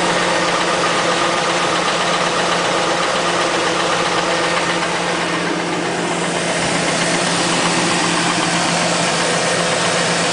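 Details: 2000 Chevrolet Tahoe LS, 131,000 on the clock, cold first start only: steady rapid hollow knocking, about four a second, over the idle, suspected piston slap; heard best near the front wheel or inside on the driver's side.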